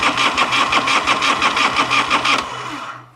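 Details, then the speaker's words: 1986 Harley-Davidson Liberty Edition Electra Glide Classic revived after sitting 10 years. An uneven, pulsing run that stumbles and dies within seconds; fuel present but spark lost, with the ignition module suspected, not confirmed. "Okay, so we have lost spark. So it's not a fuel issue, it is a spark issue."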